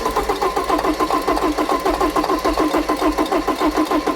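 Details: Porsche 944 that sat 20 years in a hedge, first start attempt after confirming fuel at the line: rhythmic starter cranking near 100 per minute with even compression pulses, but it never fires. Debris was later found in the airbox. Finding: cranking, no start.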